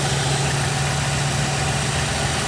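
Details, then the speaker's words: 1958 Chevrolet Corvette V8 after an oil change (Castrol conventional 10W-40 plus zinc additive), while warming up: steady, even low idle rumble, much quieter, no ticking or puffing. "She's happy."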